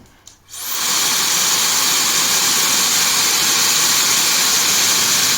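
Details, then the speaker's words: Good hair dryer, recorded via a LOTO oscilloscope sound probe: airy hiss builds and settles to a steady, even rush with no rattles; the motor frequency rises gradually over about 2–3 seconds, normal spin-up. "它上来慢慢的会移过去。比较明显，会有个升速过程。"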